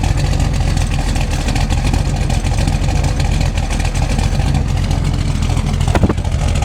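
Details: Freshly built SBC 350 (aluminum 64cc heads, .500/.510 lift, 10:1 pistons, Edelbrock intake, 600cfm carb, likely out of tune), in gear, idle and revs: rapid tapping knock; persists with plug wires pulled, owner suspects piston slap or flexplate.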